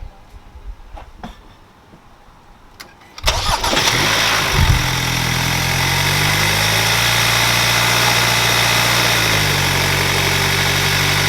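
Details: 2021 Hyundai Sonata N Line turbo engine, just after DIY Sxth Element turbo inlet install; starter cranks briefly, engine catches and flares, then settles into a steady, even idle with no knocks: healthy start.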